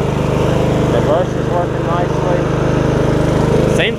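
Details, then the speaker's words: MTD Yard Machines riding mower after a transmission swap from a parts mower, driving in reverse: steady, even engine drone with no grinding or clunking; belts okay, gears stop when they should, brakes work, so the drive is healthy. "like the belts are doing okay also gears are stopping when they're supposed to brakes are working so that's good"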